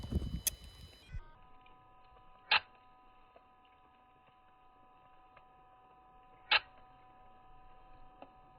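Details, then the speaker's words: Construction plant machine's AdBlue (SCR) system, investigated for high AdBlue consumption while the dosing injector is checked. Faint steady whine with slow, uneven ticks as the dosing pump builds pressure; normal pressure build-up. "Okay, so we're running this test now. It's doing a pressure build up, so I need to gnash up to the top and check the injector."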